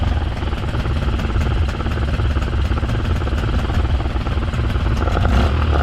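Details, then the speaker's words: 2005 Honda 20 hp long-shaft outboard after fuel connector hookup, stop button spliced into ignition wiring and fresh gas; started first pull. Steady, even pace with consistent exhaust pulses, no hesitation; normal running. "I threw some fresh gas in it and I forgot to record but first pull she fired right up"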